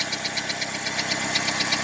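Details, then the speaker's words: 2002 Saturn 1.9 L engine at idle: sharp regular ticking about eight times a second from the top of the engine; owner suspects a rocker arm, valve spring or worn loose camshaft, not rod knock, cause unconfirmed. "Tiene ese ruido en el motor, como un golpeteo. Suena como algún balancín, algo que es acá arriba de la cabeza, un balancín o un resorte, o tal vez el árbol de leva ya se gastó y está flojo."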